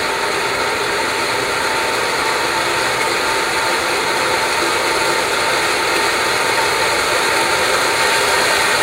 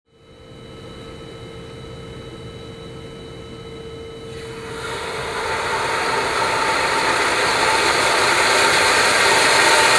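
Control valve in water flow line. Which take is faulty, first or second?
second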